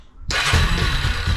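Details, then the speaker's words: 2003 Yamaha Big Bear ATV, first start after an oil change (3 quarts, oil cooler) and a new battery, not yet warmed up. After a quiet moment it fires at once and settles into an even low rumble; starts cleanly and runs healthy. "Let's see if she'll start up. Let it run a few seconds."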